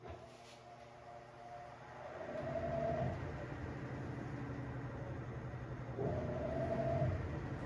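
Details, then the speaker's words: Black+Decker BPW30MW 3 cu ft portable washer, about two years old, in the high spin stage after loose drum bolts were tightened and the clutch assembly and belt reinstalled: low even rumble and smooth motor hum with no thumping. Normal running. "To my surprise, it is no longer making that noise and it is sounding like it was when I first got it."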